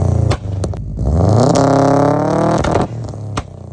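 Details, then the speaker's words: 2002 Subaru WRX Wagon, EJ205 engine, 176,000 miles, straight-piped and fully catless. A loud, raspy exhaust blips up in a quick rev and settles back, running smoothly with no audible knock. Main bearing metal was later found in the drained oil. "But, this thing's been running great. Sounds ridiculous."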